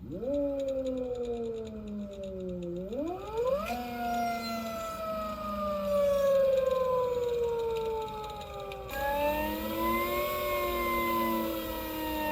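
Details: Electric motorcycle (ELX600 build, 96V battery) with phase current overflow, old controller with start/mid/max Ki at 1/1/1 and speed KP lowered: loud whine rising and falling with motor speed, sharp and uneven; poorly tuned controller.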